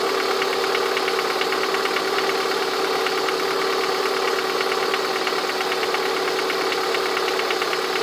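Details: Lada 21126 engine at steady idle with a light, fairly regular tapping knock over the hum, heard most clearly near the end of the recording; the owner asks what the sound is, source not pinned down.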